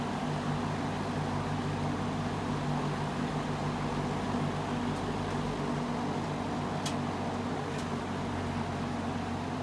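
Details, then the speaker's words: Old fan "Rusty Bob" on low speed after about an hour, previously chirping on low in reverse: steady, even low hum with no chirps or squeaks; owner suspects compacted felts and play behind earlier chirp; normal running on low. "That's low, no chirping."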